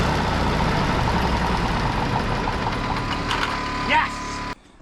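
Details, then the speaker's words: Road grader four-cylinder pony engine after freeing stuck-open valve by tapping and correcting swapped magneto wires that had it firing on exhaust stroke; chugs steadily and fairly evenly before shutoff; normal running. "we're going to tap on that get that free and put this all back together and this thing should fire right up and after some tapping that's working as it should"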